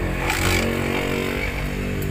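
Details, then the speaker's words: Honda TMX 155 single-cylinder first run after an engine rebuild for noise and vibration, with a new clutch damper and all transmission bearings: a steady, even beat at fast idle with no knocks or rattles; normal running. "Ayun Naayos na yung ano natin yung Honda TMX so pinaandar na rin ni Bumbay yung TMX"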